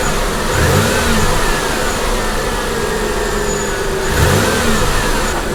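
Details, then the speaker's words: Copart salvage car with 163,000 miles, just started with engine light on and low coolant, checked for knock: engine blips up and settles twice, smooth with no ticking or knocking; sounds healthy, some smoke noted afterward. "And I'm gonna listen for any engine knock. This does have 163,000 on the clock. I think the engine sounds pretty good. Let me rev it up a little bit here."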